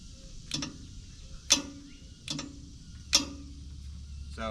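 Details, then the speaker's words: Auction skid steer broom attachment, its electric switch pressed to select broom or angle cylinder: sharp, crisp single solenoid clicks about every second and a half; the solenoid is switching normally. "but when I press the switch I can hear the solenoid clicking"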